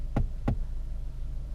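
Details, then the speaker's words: 2022 Honda Civic Si, about 2,000 miles, sporty stiff suspension, driving over bumps; two sharp dull knocks over road rumble, owner suspects the seat belt buckle or seat anchor under the seat, unconfirmed interior knock. "i hear this buckle down here from the seat i guess is the seat anchor the bottom part if you hear that"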